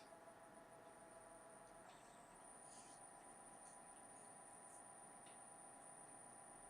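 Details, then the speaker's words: Apple Lisa 2 computer being rebuilt after battery damage, booting with a reflowed memory board: its loud power supply gives a thin, steady high-pitched whine over a constant fan-like hum. "power supply is so loud. I don't know if you can hear the high-pitched whine."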